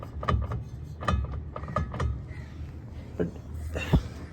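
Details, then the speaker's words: Vehicle on jack stands with welded differential, driveshaft unbolted at one end and rocked by hand from underneath; a few sharp clunks about a second apart suggesting play in a joint. Cause suspected, not confirmed. "और यहां पे इस side पे drive shop पकड़े तो देख रहे हो ये आवाज कड़कड़ा रही है।"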